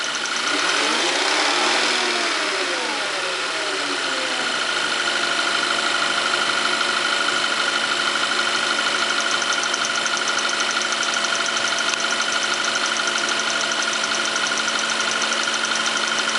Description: The engine in my Tiguan makes this odd ticking noise sometimes at idle. I don't think it is the normal direct injection sound of the fuel injectors as it seems like a different sound. From the video you can hear that it is rpm dependent and even goes away beyond a certain engine speed.